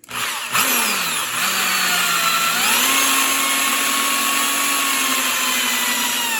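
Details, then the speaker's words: Ford 302 tunnel port engine build, oil pump primed with drill run counterclockwise: drill whine rises as pump catches and pushes out air, light gurgling, pressure gauge going from 60 to 80; normal priming. "all right so it's got air in the in the system and you you saw how the drill or the pressure gauge went to 60 and then it pushed the air out and then it went to 80"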